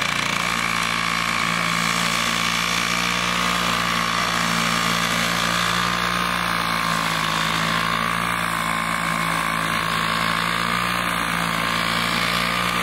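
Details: Vintage Toro 19-inch Flymo hover mower, rpm raised to about 3,700, kill switch fixed, mowing frozen grass in snow: steady high-pitched two-stroke buzz at even speed, no surging or hunting; normal running.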